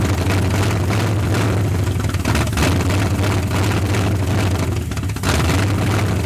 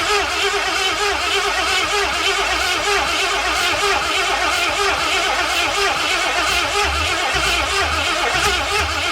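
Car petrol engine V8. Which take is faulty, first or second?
second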